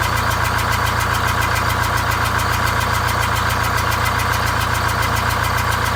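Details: Greyhound Scenicruiser bus diesel with automatic transmission, one bad cylinder bypassed, new exhaust and welded muffler, cooling fan off: loud idle with a steady chugging beat about three and a half per second, running well on 7 of 8 cylinders.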